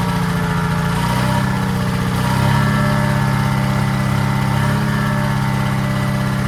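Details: Detroit 271 two-cylinder diesel in a 1940s Allis Chalmers, first start after many years retired: even, steady low chug with no knocks or misses; motor sounds good but smokes, suspected from a problem injector.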